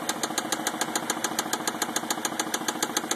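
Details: 2004 Mazda 6 at idle: sharp, even, relentless knock about three and a half times a second, car shaking; bottom-end rod knock.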